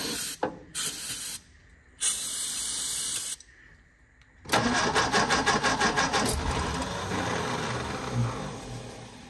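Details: 1957 MG MGA roadster, sitting in storage many years, first start attempt after a starter fluid shot, with a previous oil leak and valves needing cleaning for compression. Starter churns in quick even pulses but the engine never catches. Crank no start.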